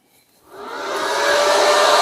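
Airy whoosh rises smoothly over the first second, then holds steady; the charger's cooling fan spins up and runs normally.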